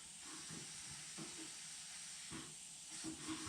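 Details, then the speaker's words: Used blast cabinet, air supply turned up: steady high airy hiss from the filter regulator leaking compressed air, which shouldn't happen, with faint handling knocks; compressed air leak. "a tiny bit more right i can hear that filter regulator making a noise"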